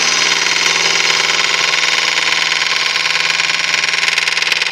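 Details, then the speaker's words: Wood lathe turning Malaysian acacia sapwood napkin rings: a light tick a little over twice a second over the cutting hiss, once per turn of the work; turner first suspects a nail, then concludes it is a hard spot in the wood. "what's that sound that sounds like a nail there is a nail just there I think an alternate hole no idea what that is need to be damaging the tool it must just be a hard piece of wood"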